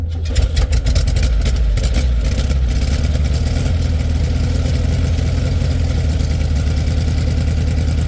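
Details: 1967 VW Beetle air-cooled flat-four at cold idle after starting in about 8°F, battery a little low: steady low burble with even beat, nothing knocking or missing; clean cold-start idle, possible generator problem noted.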